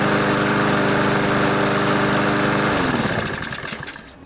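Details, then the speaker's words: Honda GCV engine on a junkyard Poulan mower; oil got into the air filter and muffler from being tipped wrong, so it smoked and wouldn't start; after the fix it runs with a steady, even single-cylinder beat, then winds down smoothly; normal running. "so it runs runs pretty good too"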